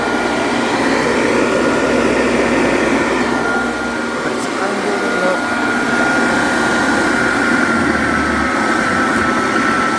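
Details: Vintage Hoover vacuum, brush roll shown running: steady whirring motor hum with a faint even high whistle and no slapping or squeal; brush roll spinning smoothly on a good belt.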